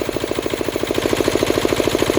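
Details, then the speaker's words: Diesel air compressor after the unloader was adjusted (lock nut cracked off): at 150 psi the unloader has opened and it is no longer charging; a steady, even diesel beat with a rhythmic pulse and no laboring note, running normally unloaded. "that is really good, isn't it? Yeah, so at 150 psi you can now hear that's not charging."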